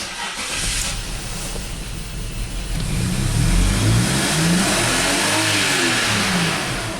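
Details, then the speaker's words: BMW X5 at wide open throttle, fuel pressure 48 psi at rest, ignition and mass airflow sensor scoped: pitch climbs and holds with a ragged edge; classic lean misfire on cylinders 1, 5, 3 and 6, fuel pressure not the cause. "this is definitely a misfire here a big time is far lean look at that yes so yeah look at that this is classic lean misfire"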